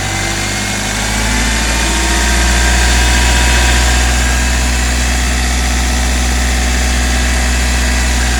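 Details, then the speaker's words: Hyundai i20 petrol engine at idle during a timing chain check: steady idle with only a light, even valve-lifter tick and no chain rattle; normal. "अभी हम देख रहे हैं किसी भी type की कोई भी आवाज़ नहीं है, सिर्फ ओनली लिफ्टर्स की आवाज़ आ रही है इसके अंदर।"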